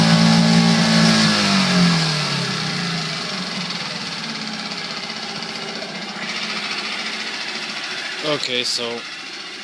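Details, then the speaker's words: Coleman 5hp outboard made April 2012, revved to about 2000 RPM; engine drops from a higher drone to steady running with a light quick rattle like a loose exhaust pipe; nothing loose seen with the lid off, source unknown. "it did make that noise um you know to me it sounds it sounds like an ex a loose exhaust pipe on a car or something"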